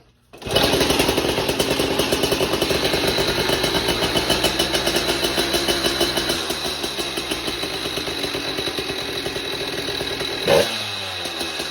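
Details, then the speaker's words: Motorized bike small two-stroke on stock ignition system: crisp, steady buzz with even firing, settling smoothly as revs drop; runs flawlessly. "So that video that you just saw was of the stock ignition system, and it runs flawlessly."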